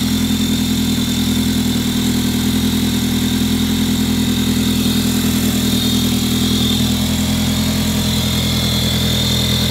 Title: A3 cold start crazy screeching noise from engine